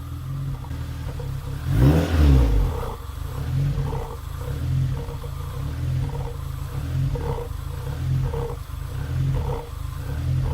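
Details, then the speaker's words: Supercharged 2ZZ-swapped Toyota MR2 Spyder idling rough with a strong smell. Idle rises and falls up and down over a low rumble, worse with a little throttle, smoother when revved. Owner wonders about 5-month-old gas or a tune issue. "and it's actually kind of idling smoothly but now you can hear it up and down up and down and if I give it a little throttle it might even get a little"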